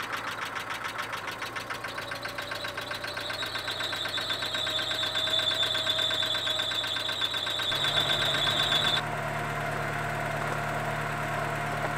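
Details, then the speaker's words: Porsche 944 started for the first time after a new timing belt and new hydraulic lifters. Fast, loud, even tapping, probably from one soft lifter that has not yet filled with oil. "lab tapping you heard initially was I believe that was once that one lifter that was a little soft they take time to fill up his oil and you're going to hear that loud tapping until they're full of oil"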